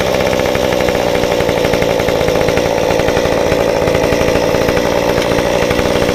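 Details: Modified Stihl 193T climbing saw (muffler mod, ~8–9° timing advance, limiters removed, 93 non-E fuel, 16-inch bar, PS3 .050 full-chisel chain) cutting a log: steady high revs, even loaded buzz, no bogging or surging; healthy.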